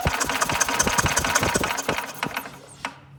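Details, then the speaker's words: Older Yamaha golf cart, sat a couple of years: starter spins the engine in an uneven chug about three beats a second but never catches; spark only appears when the pedal is released, a no-spark condition. "Okay, so the only spark I'm getting is when I actually let off the pedal. And it stops cranking then. That's the only time I'm getting spark."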